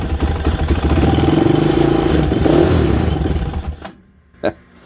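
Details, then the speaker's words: Whitey, a small single-cylinder bike, on its first start since before winter, on a new battery: fires into a quick, even putter, slightly shaky but steady with no misses, then shuts off; runs fine after storage, normal idle. "so let's see if whitey's gonna start let's see how you do whitey not bad not bad at all a little"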